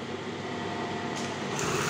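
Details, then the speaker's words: Brother 814 buttonhole machine, motor recently rewound, upper knife not yet fitted: steady even mechanical whir rising slightly as it settles, no knocks or grinding; runs smooth and quiet, not fast, set around 46. "suara mesinnya halus cuman ini kan akhirnya juga kirim nomor 46 ya jadi enggak begitu cepat"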